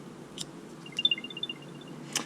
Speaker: the downside to apple air tags is that they make noise and in fact we'll go pull the battery tab off this brand new one here so you can hear it